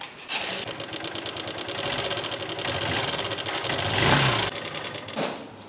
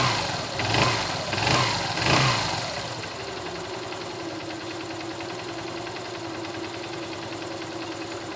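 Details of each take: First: Small bike or scooter engine at idle before an oil additive was added: a rapid, light ticking clatter at about three beats a second from inside the engine; cause unclear. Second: Motorbike after an engine-noise lubricant treatment: between a few louder thumps it settles into a soft, even idle with a steady low hum and no tapping. The idle is normal and healthy.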